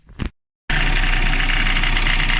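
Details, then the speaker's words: Renault Laguna 3 idling: fast, steady knocking and crunching from the AC compressor, worse under load; the cause was a loose mounting bolt that had fallen out. "еще раз показываю что происходит стук постоянный стук звук доносится от кондиционера"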